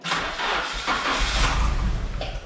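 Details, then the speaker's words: Nissan 240SX (auto-to-manual swap) on first start after sitting, on old gas, no coolant yet: revs modulated up and down to redline to check for rod knock; clean rise and fall, no knock heard, bottom end sounds sound. "Modulate the RPM up and down, and let's see if we can hear rod knock before I buy fuel for it."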